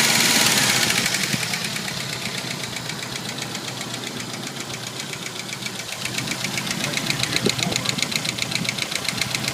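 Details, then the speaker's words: Jeep YJ 2.5L at cold start after sitting overnight: sharp steady metallic tick/ping about four per second, keeping time with the engine; comes and goes, unchanged when pulling each spark plug wire, cause not found. "Kind of hear the knocking. Louder. That sounds more like a pinging, a ticking."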